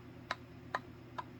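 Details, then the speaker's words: Bowflex SelectTech 552/1090 dumbbell: four sharp, light clicks about half a second apart as the handle end shifts and knocks in a loosely fitting crossbar assembly while the other end fits tight. Loose grip clicking, fixed by wrapping tape on the handle ends. "you can hear it and you can feel it now let's look at two that one's really loose but when we flip around to this end look at how nice and tight that is"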